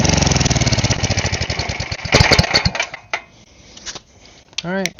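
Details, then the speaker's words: Side-shaft small single-cylinder engine meant for a go-kart, oil still due for a change: quick even popping for about two seconds, then it slows and winds down at shutdown, running fine. "But I guess I'll just run it one more time, make sure it still runs good, and then I'll probably change the oil a different day."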